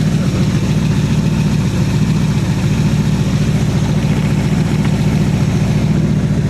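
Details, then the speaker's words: Chevy V8 casket car, revived after sitting almost a year, idling on fresh pump gas after 2-stroke mix: steady even low rumble, smooth beat, no knocks, misses or hunting; engine running healthy. "Throw this away. Seems to be running good."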